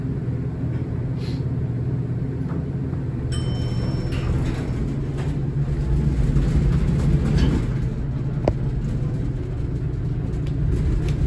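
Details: Horizon hydraulic elevator installed 1964: steady loud low rumble with rattling and occasional knocks throughout travel, a very noisy, shaky ride, cause unclear.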